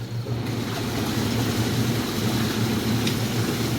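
Constant deep motor drone with rushing water, steady and free of grinding or surging; the pump runs properly on high speed.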